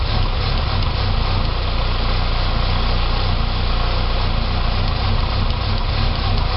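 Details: 2006 Saab 9-3 2.0T after an engine rebuild: a low idle with a slightly lumpy, uneven pulse; it runs great with throttle. Rough idle, possibly vacuum-related, cause unconfirmed.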